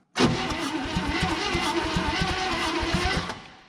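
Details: 1960 Chevrolet Impala hardtop, abandoned 38 years, last registered 1984: steady starter cranking with even compression beats about eight per second, never firing; cranks but won't start, spark and carburetor next to check.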